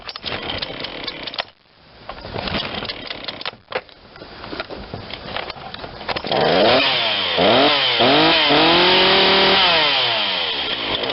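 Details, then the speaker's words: Ryobi 40cc chainsaw that had sat unused, after primer bulb and carburetor work, cold start: catches after a few pulls, revs rise and fall cleanly on throttle, settles to steady high buzz; idle maybe slightly low, perhaps needed more choke. "okay so cold cold start probably should have stayed on choke a little longer wow [Music] that's great that idol's maybe a little low"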